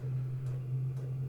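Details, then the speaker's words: Chinese all-in-one diesel heater in a workshop, mic on shirt near camera: steady low hum with soft regular pump tick about twice a second, quite quiet and not annoying; normal running. "quite quiet. Not really annoying at all."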